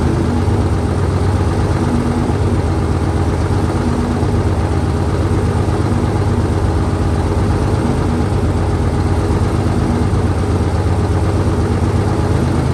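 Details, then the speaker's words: 1968 Dodge C500 truck on a cool day, about 15° colder than before, started via jump from another truck and starting fluid: low, steady idle rumble at an even pace, no knocking or misfire; idling fine. "So, it took a little shot of Cosby sauce and an extra truck to get her jumped, But she's running."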